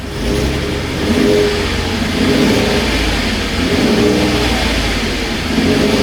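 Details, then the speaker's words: 2016 Ford F-150 3.5 V6 first runs after the correct starter was fitted to a supposedly locked-up engine; still burning off fluid smoke. Revs climb and fall smoothly through several blips with an even exhaust note and no misses, knocks or rattles. Normal revving. "Okay, first drive. So far, it's running pretty good."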